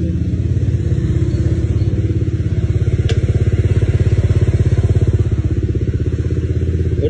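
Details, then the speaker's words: Vario scooter, odometer has rolled over once, after repair, started and idling: steady even idle about two hundred pulses a minute, quiet, no knocks or rattles; stable hot after a 15 km test, starts easily cold; normal idle. "Nah, ini buat kondisi engine-nya tuh senyap suaranya, Teman-teman. Enggak ada suara aneh-aneh"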